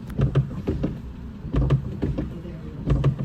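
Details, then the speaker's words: Cheap Renault Clio: wiper system with heavy paired clunks about every two-thirds of a second, in time with each sweep; motor spins fine, but a loose linkage flails around because its brackets are damaged and snapped, a common fault. "we've got some dodgy sounding wipers going on here on an inspection we stripped down the wipers as you can see the motor spins fine the problem was actually caused by a loose linkage"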